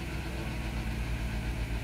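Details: Vehicle that had a misfire triggering check engine and traction lights, idling after code clearing: even, steady idle pulse with a low rumble, no skips or misfire stumbles; idles smoothly.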